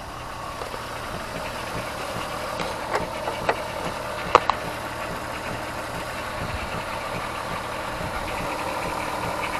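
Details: Car idling steadily and evenly after replacing the faulty ignition coil on misfiring cylinder 5, found by swapping coils from cylinder 3 and rescanning codes; only a few stray clicks, no stumble or miss; fault cleared.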